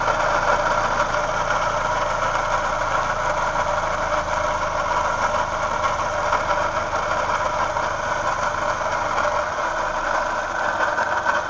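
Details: 2007 Toyota Yaris at idle: steady mid-pitched whirring rattle from the left-side pulley end, not changing with revs, briefly louder after the cooling fan kicks in; A/C stopped working for a day recently; cause unknown, car drives fine.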